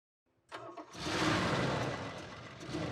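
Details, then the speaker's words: 1984 Dodge D150 Prospector V8, parked about 20 years, after ignition cylinder and fuel system work: short crank, then it catches and settles into a full, even run with no knocks or misses; a tick possibly comes from a broken exhaust manifold bolt. "It sounds really good. Does seem to. Yeah. People are not going to believe we have not had this truck running for 20 years."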